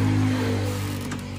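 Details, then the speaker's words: Honda Beat ESP (K44) scooter after correcting swapped intake and exhaust rocker arms from an engine rebuild. Electric starter catches at once and settles into a steady, even low idle with no roughness or knocking; normal start. "Nah itu ya teman-teman, sangat mudah sekali, langsung hidup motornya."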